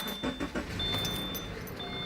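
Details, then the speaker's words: Subaru boxer engine, 146,000 miles, starting: a few sharp clicks then steady, slightly busy idle, normal for a relatively noisy boxer engine. "Sounds like a Subaru. Hear a little bit of noise. It's got 146,000 miles on it. Realize one thing. Boxer engines are relatively noisy engines."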